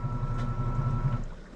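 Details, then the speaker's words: Compact portable washing machine with no centre agitator, running a wash cycle: steady low motor hum with a faint whine that cuts out as the tub reverses direction; normal operation. "it's cycling somebody said it doesn't have that agitator in the center I don't really think you need the agitator it spins one way and then spins the other way"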